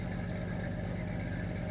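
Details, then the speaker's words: Engine idling after its cold-start fast idle ends, tailpipe scrubbing pads removed: low even idle with steady soft pulse, no fast-idle lift; not too bad, unlike the really loud first minute; normal warm idle. "This is what it sounds like when it's done with its cold start, fast idle. That's not too bad."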